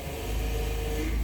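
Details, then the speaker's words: 2018 VW Voyage i-Motion, 66,000 km, idling: thin steady whine as the steering wheel is turned, from the power steering pump; cause confirmed as low power steering fluid level in the reservoir. "É isso aí com certeza é o nível de óleo que está baixo"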